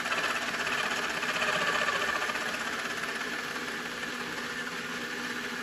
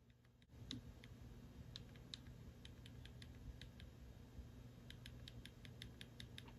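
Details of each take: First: RC car with wheels spinning, motor deliberately pushed in too hard: harsh, rasping grind over a high motor whine; the pinion is meshed too tightly into the spur gear. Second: RC car pinion and spur gear, mesh adjusted after a too-loose setting, spur flicked by hand: light, crisp clicks with a tiny bit of spur movement, no binding or whacking of teeth. Correct gear mesh.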